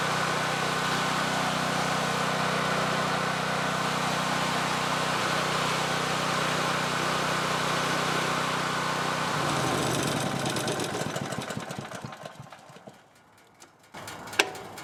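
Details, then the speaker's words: Free second-hand generator said to be broken, old fuel, pull-started (dead starting battery): starts on the first pull with a smooth, steady single-cylinder drone at constant speed that winds down cleanly; engine runs healthy. "god damn started up on the first freaking pull are you kidding me"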